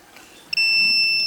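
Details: RCBO earth leakage breaker test: with phase taken from output and neutral from input, the mechanism tripped and a shrill steady beep sounds as the earth leakage fault alarm; lamp load drawing about 62–63 mA.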